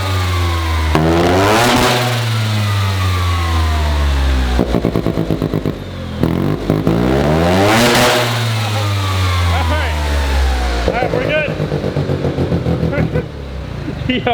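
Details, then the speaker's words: Mazda single-rotor rotary build revved freely while parked; it needed a battery jump because the alternator seems not to be charging. Very loud rasping exhaust sweeping up and back twice, then a choppy crackling idle, healthy and revving freely. "I've never heard a car that loud I really hope that comes through in the car doing this"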